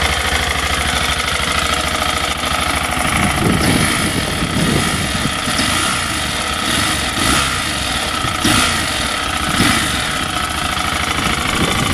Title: Aprila pegaso 650 same engine as yamaha Xt660 engine knocking